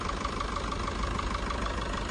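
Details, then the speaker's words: Maruti Brezza petrol engine idling evenly after timing chain replacement and tensioner and chain guide tightening for chain noise; only a light steady tick about six a second over a smooth hum, now normal. "अब normal noise वो आप देख सकते हैं इधर आइए इधर sound बिल्कुल नॉर्मल हो चुका है"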